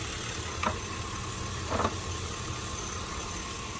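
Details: 2005 Chevy Tahoe idling after fixing a vacuum leak. It had shaken while driving and flashed the check engine light. Smooth, even idle with a steady low hum and light handling clicks; normal healthy idle.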